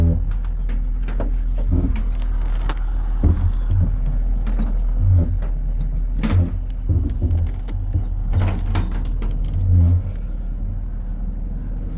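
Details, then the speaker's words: Nissan 370Z being moved onto/off a rollback tow truck after a loose positive battery terminal was found; low rolling rumble with irregular clunks and knocks from worn or loose front-end parts. "I can hear that the front end parts aren't happy, so we're gonna get this thing parked."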